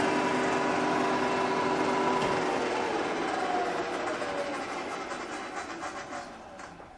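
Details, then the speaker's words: Milling a tailstock die holder part in the vise to 12.6 mm, about 1 mm depth of cut, workpiece overhanging the vise side: steady high ringing squeal fading as pass ends; chatter from lack of rigidity, angle plate added behind as fix. "That's the sound of lack of rigidity, I think. Maybe the problem is how much of this is sticking out past the side of the vise, so perhaps I need to find some stabiliser for the back here."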